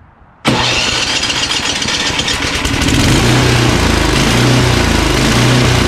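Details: Craftsman 29" snowblower (Snow King) with 9HP Tecumseh engine, started on electric start: idle swells and sags about once a second, surging at idle; suspected fuel delivery, possibly fuel solenoid or dirty carburetor, drive also not engaging.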